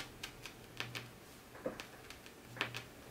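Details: 1984 Sony PS-LX10 fully automatic turntable on AC power, start/stop pressed: a faint motor hum with a few soft, irregular clicks as the auto-start linkage cycles. It is operating normally.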